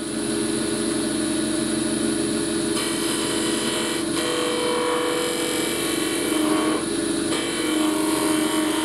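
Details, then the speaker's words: Wood lathe sped up to about 2600 rpm on a thin workpiece with a flat skew chisel: steady hum with rough buzzing chatter under the cut that persists throughout; the workpiece is still vibrating. "l'autre chose est vraie c'est que plus jamais c'est ici plus ma pièce est sujette à vibrer"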